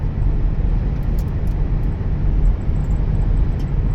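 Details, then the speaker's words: 2000 Chrysler Grand Voyager at 45–55 mph on the highway after repair: steady low road rumble, no growl or hum from the wheels, previously loud noise now gone, dead silent. "It's already at 45. Oh, I can hear myself think. Yeah, those were bad. 55 is dead silent."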